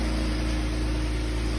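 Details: Jeep Wrangler (the 2011 models came with a 3.8 L) idling on a lift after a transmission pan and gasket replacement, with no fluid leaking and the fluid being checked: a low, steady, smooth hum with no ticks or clunks.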